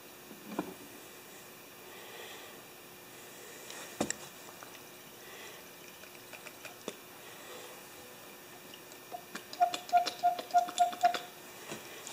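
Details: New electric fuel pump fitted to a 10 HP Kohler K241, primed with a little motor oil; crisp, even ticking about three per second with no stumbles; pump running normally.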